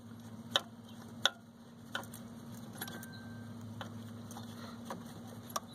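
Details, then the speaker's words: Volvo turbocharger checked by hand: sharp uneven clicks over shop hum as the shaft is pushed in and out; spins freely without binding but has axial in-and-out play, suspected going bad. "unfortunately I think we have a turbo going bad should be able to hear the turbo it spins real good it's not binding but man you can hear the in-and-out play"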